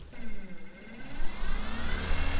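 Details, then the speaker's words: Minn Kota trolling motor at speed 10 (full max) after prop replacement, skeg rotation and tuning: smooth electric whine climbing in pitch with only a faint rattle left, versus the boat-rocking vibration above speed 5 before repair; normal run. "go oh this way better than before go again yeah it's way better than before i mean before it was right the whole boat rattled"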